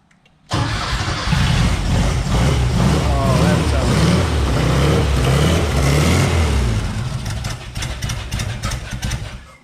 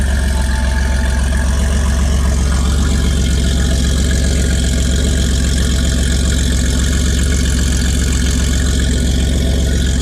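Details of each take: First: Porsche 914 with new 2-liter engine first runs, oil pressure gauge not hooked up: catches and settles into a low, loping idle that surges and dips; rough idle, owner suspects idle speed needs raising or timing needs adjusting. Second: 1981 Porsche 930, mostly stock with a few modifications including an aftermarket exhaust, on a cold start: a deep, steady, even burble at idle with no knocks or misses; a healthy engine.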